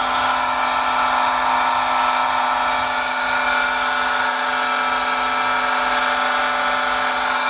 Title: Pool pump loud noise screeching Pentair SuperFlo VS 1.5 HP